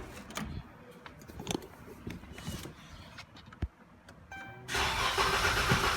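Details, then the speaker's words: Dodge Charger 3.6L first start after a fuel pump swap, with the relay removed earlier to relieve pressure. Clicks, then a slow crank because the system had no fuel, then it catches and settles into a steady, even run. Pump works; a service engine light remains. "Okay, the pump worked. And obviously it don't have fuel in it, so that's why it took a second to crank."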